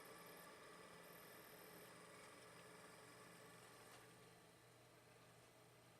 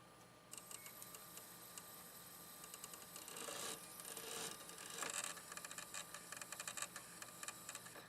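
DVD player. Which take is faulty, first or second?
second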